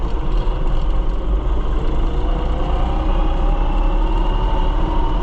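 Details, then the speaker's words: New Holland TN75DA tractor driven in the field, possibly in road gear, making wavering whines over the diesel rumble ("like a spaceship"); transmission whine, cause not yet found. "Sounds like a spaceship in here. I don't know. making all kinds of googly noises."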